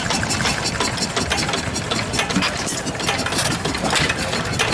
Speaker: Oh, that one sounds nice, doesn't it? Come on, take a snort. Nice. One more snort. Amazing how long they freewheel for, eh?